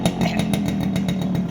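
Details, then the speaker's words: Fully restored Yamaha RX100 two-stroke after crank bearing repair, hand held over silencer: crisp rev with steady buzzy pulse, no knocking or rattling; rebuilt engine sounds healthy. "ये silencer पे हाथ रखा है, और अब आप engine का sound सुन सकते हैं, यहाँ लाइव है, सारी चीज़ें क्लियर है। वो हाथ रखा हुआ है, ये साउंड सुनिए, कोई दूसरा साउंड नहीं आएगा इंजन में आपको।"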